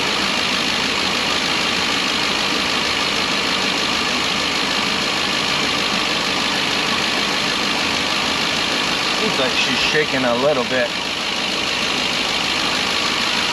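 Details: 2012 Ford E350 V8 van, 170,000 miles, after a Dorman intake manifold replaced a coolant leak into the cylinder 3–4 plug wells that caused a misfire: an even, steady idle burble with no skips. Runs normally.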